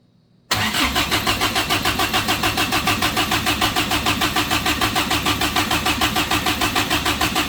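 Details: Suzuki Samurai rock crawler engine newly converted to propane: even cranking about three pulses a second that never catches; a port thought to be a water fitting was actually pulling vacuum, a vacuum leak preventing start.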